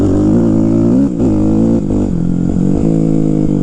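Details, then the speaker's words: Kawasaki KX250F warmed up after clearing the clogged pilot jet: crisp single-cylinder bark rising and dropping cleanly with each throttle blip, no knocks or misses; sounds good, runs great. "sounds good runs great"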